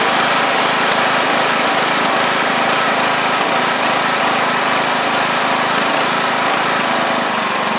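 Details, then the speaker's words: John Deere LA100 riding mower, long-sat, hard starting from valve issues, after cleanup: the engine runs fast and steady but its speed rises and falls slightly, a mild surge persisting at higher RPM. Owner suspects it ran on a wired-up choke for a long time. "It's, uh, basically done. Uh, it's still got a tiny surge at higher RPMs, but let's see."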